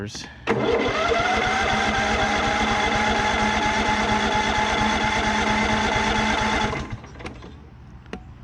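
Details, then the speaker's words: Cub Cadet riding mower, swapped-in engine, first start attempt after confirming the fuel solenoid clicks: steady starter whir with even cranking for about six seconds but no firing; some fuel is getting through, owner suspects he flooded it. "got to get some gas into the engine again are we getting gas a little bit in there we are getting gas maybe I flooded"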